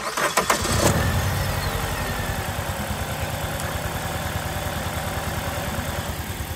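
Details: 2003 Toyota Matrix XRS with 2ZZ engine, misfiring after driving in snow, cylinder one misfire code, check engine light off, suspected injectors; cranks, catches, then lumpy idle with regular stumble in the exhaust beat; steady misfire, cause unconfirmed.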